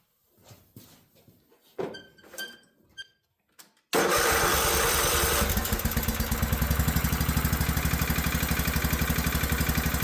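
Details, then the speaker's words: Old Craftsman riding mower after carburetor cleaned with carb cleaner and refitted: catches after a few tries, then runs rough with a lumpy pulse about four per second; oil found runny, likely gas in oil; valves to be checked. "Still not liking something. Let's get a look at the valves."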